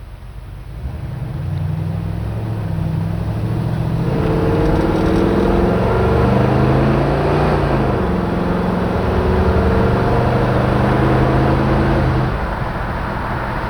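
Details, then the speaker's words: 1967 Chevrolet Chevy II Nova with a 350 V8, automatic transmission, accelerating to about 65 mph on the road; pitch climbs and dips cleanly at each upshift, giving crisp, clean, healthy shifts. "Hopefully you can hear in the video the transmission shifting. The shifts in the tranny are nice and crisp and clean, and really a beautiful shifting car."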